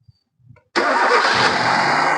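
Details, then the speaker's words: Hyundai i10 after valve cover gasket replacement, fixing the misfire, low pickup and oil-fouled spark plugs: cranks briefly and catches at once without the earlier start delay, then settles to a smooth, even idle at correct rpm with no misfire or vibration. "ഇപ്പോൾ correct ആയിട്ട് അതിന്റെ engine correct ആർപിഎമ്മിൽ തന്നെയാണ് ഇപ്പോൾ നിൽക്കുന്നത് വേറെ വൈബ്രേഷനോ കാര്യങ്ങളോ ഒന്നും ഇല്ല"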